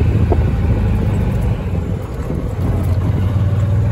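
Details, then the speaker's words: Club Car golf cart after throttle cable adjustment and governor de-restriction, at high speed on test ride: steady low engine drone under road noise with faint whine, revving past usual governed limit; engine whine at high speed. "Gonna be asking for this one now. You can hear the turbo whining in it."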